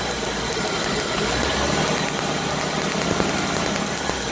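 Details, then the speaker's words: 1994 Chevrolet Corvette 5.7 V8, previously starting but lacking power on acceleration, now cranks with no start; rough churning with faint uneven ticks and no catch; spark seen cutting out while cranking, distributor high/low resolution signals to be checked next. "It is a crank no start right now, but before it was starting and just lack of power on acceleration."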